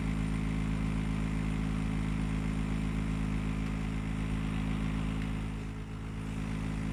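Loud, steady low rumble with a rough, even beat of roughly four per second; the air conditioner is running abnormally noisy, cause unclear.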